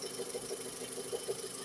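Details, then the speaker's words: 2010 1.6 EA111 engine at idle, new small A/C compressor belt on the crank pulley; faint chirpy squeal pulsing a few times a second, stopped when the old belt was refitted, expected to fade as the belt stretches—A/C belt squeal. "Motorzinha A111, um P 2010, 1.6, mas aqui é o barulho aí, ó. Correia do ar condicionado."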